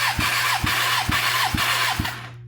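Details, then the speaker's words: Kawasaki ZX10R engine, cylinder 3 cranking compression test: five even compression pulses about two per second, then the starter stops. About 170 PSI, below cylinder 1 but far better than cylinder 2; fair compression. "That looks to be about 170. Again, very all over the board. Still not bad. This is not bad."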